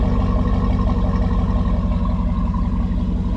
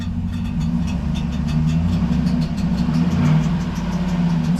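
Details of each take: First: Daily-driver car after fixing the fault: deep steady V8 rumble with even pulse and smooth revs, no knocks or ticks; normal engine revving. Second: V8 daily driver hardtop, no fan fitted, idling: light, tinny intermittent ticking like a screwdriver touching a fan blade, louder on the passenger side and with throttle; a worn starter drive gear is brushing the flexplate.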